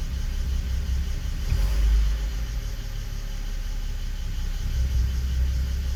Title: 325i e92 bmw misfiring cold start on inpa